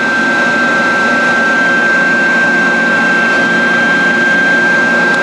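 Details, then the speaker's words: Dainichi Model H lathe (DC drive) doing rapid traverse moves. Steady, even motor whine with a constant high tone and no knocks or grinding: normal, healthy rapid traverse. "okay now we're going to show you some rapid moves with this machine works really well to see"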